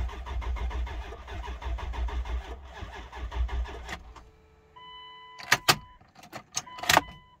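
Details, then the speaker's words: 1999 Dodge Durango SLT, 5.9 L Magnum V8, first start after 14 years parked. Lazy, dragging crank with slow uneven chugs that never catch, then it stops; the battery is low. "a little low on battery"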